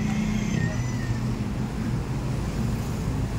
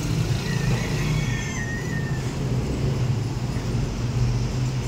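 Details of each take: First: Flood-damaged Toyota Vios with check engine light and stalling: steady low idle with slightly uneven, stumbling beat and hesitation; upstream oxygen sensor reads 1.275 V, above the 0.1–0.9 V range, indicating sensor malfunction. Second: Toyota Vios after flood exposure, repaired for check engine light, stalling and rough idle, trouble codes cleared and oxygen sensor addressed: low smooth steady engine hum with no misses or surging, check engine light gone; normal idle.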